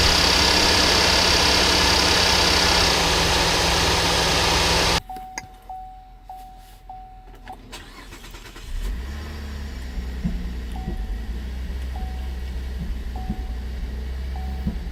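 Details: 2010 Cadillac SRX, cold start after injectors, plugs, catalytic converters replaced, codes P0172 and P0175: cranks, catches, idles with uneven knocking; dealer blamed sticky valves, later needed new high-pressure fuel pump.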